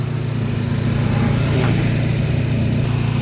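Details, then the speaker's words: Nissan Grand Livina XV 1.5 automatic (2008 or 2010 unit), engine bay clean with no oil seepage. The idle is even and low-pitched with a smooth, steady pulse of about three beats a second and no knocks, ticks or odd noises; the engine is healthy. "Untuk suara mesin juga halus, tidak ada suara yang aneh-aneh. Aman ya, Lur."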